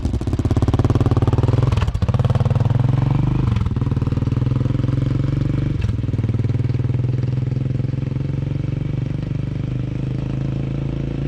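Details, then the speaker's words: Single-cylinder with Big Gun exhaust just repacked, silencer core installed: deep even idle thump with a few quick throttle blips; exhaust still loud but quieter and steady, healthy idle. "all right y'all so i just got the silencer core installed right there and we'll see how much difference it makes definitely a lot quieter at idle sounds all right i guess loud exhaust but"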